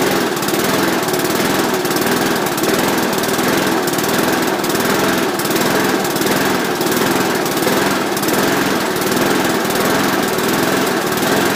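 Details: Rover mower with a Briggs & Stratton engine, cold start after an engine change, with a new stop lever and blade brake fixed; a loud, steady, even roar at fixed throttle with no misses, knocks or surging.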